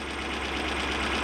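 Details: Toyota 1UZ-FE V8 in a Surf/4Runner after repair of a half-engine misfire: even idle hum with slight hiss on top, no stumble, running on all cylinders; normal idle.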